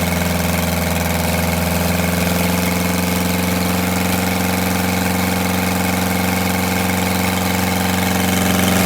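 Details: Detroit Diesel 8V92TA in a Wanderlodge RV idling after a failed injector was replaced: deep, steady drone over an uneven, lumpy beat with one cylinder not pulling, later traced to a scored cylinder and cracked liners.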